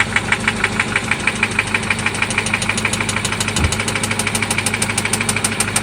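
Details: 1995 Toyota Celica ST after an oil change and new spark plugs: sharp, regular knock about three per second over the idle, loud and internal, seemingly from one spot; cause not yet pinned down.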